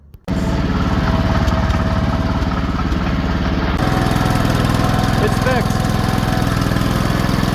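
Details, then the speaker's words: Cast iron Kohler K-series single-cylinder after checking crankshaft and camshaft play for a knock: steady, even beat at fast idle with no knock anymore; normal running. "It's not knocking anymore."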